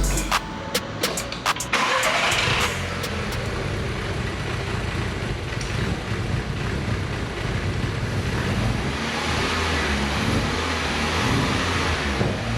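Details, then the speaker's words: 2012 MK6 VW Golf R, first start after engine install into the salvage car: starter clicks, then it catches and runs very rough and lumpy. Suspected causes include a leaking turbo system pipe at the front and a fuel pressure regulator circuit fault. "guys, it's running very rough, but it is still running."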